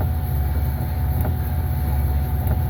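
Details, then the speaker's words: 2005 Pontiac Aztek AWD, in gear with rear wheels turning: deep rumble with a dull rhythmic thump about every 1.25 s keeping time with wheel speed, jerking; owner suspects the rear gearbox (fluid recently added) is failing, not confirmed. "Um, then I come back here and listen to this thumping. I think this rear gearbox is [ __ ]"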